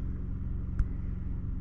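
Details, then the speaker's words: New Cummins generator on a camper van, 179.5 hours, started with coach battery dead at 10.6 V (lights dimmed): steady even low hum, no knocks or surging; normal running. "I should have charged it before I started it, but now that I got a new generator, it works. It starts up. So, sounds good. Sounds wonderful."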